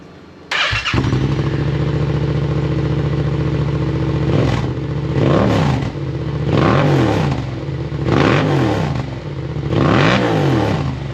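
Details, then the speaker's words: Yamaha MT-07 after installing a full aftermarket exhaust system, baffle removed from silencer: deep, throaty, loud open twin blipping in repeated rev bursts and dropping back cleanly; engine healthy, normal revving through open exhaust. "sounds pretty mean."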